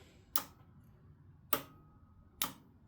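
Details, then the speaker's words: Electric ride-on mower with brushless hub motors being rewired: three sharp ticks about a second apart as the rear motor driver switches on normally. "That's the motor driver on."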